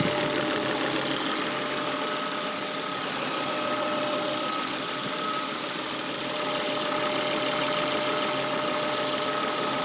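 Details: Volvo V70, cold engine after the oil trap and the hose to the oil cap were replaced: thin steady whistle around 600 Hz over the running engine. It stops when the dipstick is removed, is gone when warm, and the car runs well. Cold engine whine.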